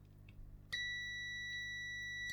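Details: Bush DAB radio that won't power on, button tested with a multimeter on continuity: a clean, steady high beep holds without dropouts, so this switch closes properly, unlike the faulty button.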